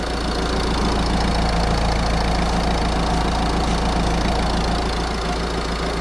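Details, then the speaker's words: Citroen C5 1.6 HDi diesel after timing belt and water pump replacement, with the cooling system bled: it starts right up and gives a steady, even idle clatter of about four beats a second, with no misses. Normal diesel idle. "that's a four start start starts right up running"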